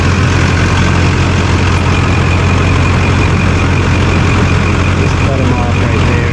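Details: 2001 LB7 Duramax GMC Sierra crew cab dually, already warmed up, after a larger transmission oil cooler was installed: a deep, even diesel rumble at steady idle with no knocks, misses or stumbles. It is running healthy.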